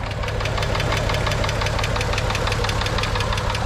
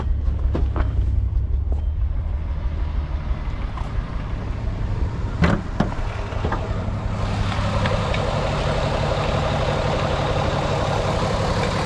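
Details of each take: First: VW VR6 Beetle petrol engine at idle before an engine flush: quick steady light ticking over the low rumble; owner suspects a hydraulic lifter. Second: VW Beetle VR6 idling after Liqui Moly engine flush and hydraulic lifter additive: steady low idle with no clear lifter tick, maybe a slight bit, a few handling clicks; tick fixed.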